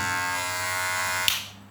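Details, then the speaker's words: Wahl cordless clipper: loud, high, steady buzz that drops away almost at once when the blade is pressed down; the bent blade spring presses too hard, fixed by bending it slightly. "Ini agak berisik sekali, dengar. Permasalahannya ada di besi ini. Besi ini itu ada tekukannya itu terlalu menekan ke bawah."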